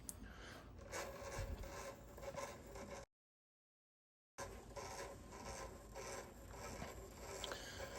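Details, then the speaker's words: Axial SCX24 1/24 RC crawler with FairRC Van Go body and basic Fury Tech brushless starter system, crawling over obstacle under load: harsh gritty rasping pulsing about twice a second; owner suspects gear mesh set way too tight. "But I've never had one sound like this. I have a feeling I've got my mesh way too tight is probably what's going on."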